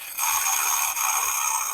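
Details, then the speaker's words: Yamaha R15 V4 starter motor removed and worked by hand, hot from cranking: short dry metallic scraping rattle from shaft play; mechanic suspects worn internal bush/bearing, making the starter overheat under engine load and stop turning the engine. "देख self से काफी ज्यादा no जा रहा है कराक कराक का कहीं ना कहीं सेल्फ के अंदर में जो बुस लगा है बायरिंग लगा वो मुझे लग रहा है कि इसका खराब हो गया है"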